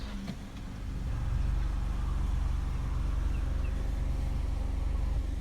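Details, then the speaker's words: Honda Accord 2.0 Gen 9 at 92 °C operating temperature, AC off: factory idle 750 rpm sags to about 700–710 rpm after shifting into Drive; low steady hum with slightly slow beat; idle too low in gear. "ปรับตำแหน่งเกียร์ที่เดินหน้านะครับรอบเครื่องยนต์จะถูกชุดลงมานะครับให้เหลืออยู่ที่ประมาณ700-710รอบต่อนาทีโดยประมาณนะครับจาก750นะครับ"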